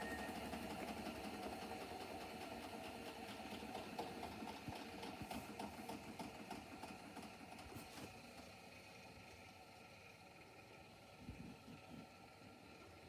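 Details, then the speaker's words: Hotpoint WMFUG942 washer with brushless motor during spin: fast rhythmic thumping about four beats a second with harder clunks; worn spider arm lets drum run off balance. "Okay, watch, guys. Watch how off balance the spider is. I think it's time to get a new washing machine."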